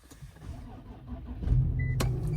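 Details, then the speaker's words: 2011 Infiniti M37x, replacement engine with 178 on it (odometer 171), push-button start: brief starter whirr, catches at once and settles into smooth low steady idle, no misses; engine codes cleared. "Starts right up."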